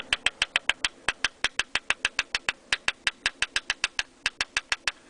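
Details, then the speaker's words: Audi A4 B6 with loose accessory belt tensioner nearly maxed out on a very tight belt: sharp metallic ticks about six a second, inconsistent and following engine speed, over little engine rumble; tensioner rattle. "it's kind of a inconsistent it's not it's not a steady tapping like a it kind of just kind of goes with the the motor and I was wondering what the hell that sound was"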